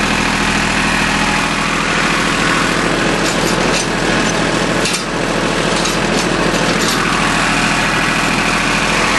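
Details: Small Yanmar diesel with three injector lines, just restarted after air was bled from the whole fuel system following a fuel filter change that left it unable to start: steady idle clatter with an even rhythm, no stumbling or hunting.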